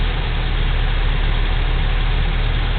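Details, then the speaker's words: 1987 Toyota 4Runner SR5, 22RE, 5-speed, on a cool night after fitting a working used A/C idle-up VSV. With A/C on, a steady four-cylinder idle with a low rumble rises from just under 800 to about 900 rpm: normal raised idle. "it idles up to 900 or so now I was told to adjust that white screw um once I get the idle up working to about 50 to 100 RPM higher than standard RPM"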